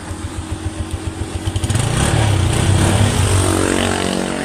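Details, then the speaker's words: Honda TMX 125 single-cylinder engine after a bearing upgrade (the original needle bearing had crumbled and seized); steady even putter at idle, picks up smoothly as revs rise, no knocks or rattles; running normally. "Okay na quality tahimik na tahimik ang makina parang Wang nangyari"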